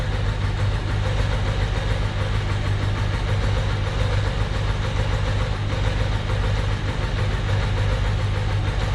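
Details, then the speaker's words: 1993 Ducati 750SS, Mikuni carbs with new jets, after long storage. Lumpy, uneven low idle with missing pulses, running on one cylinder because the idle mixture screw is wound fully in (1.2% CO); was four turns out. "ngine note as you can tell now it's running on one cylinder because the auto mixure screws all the way in"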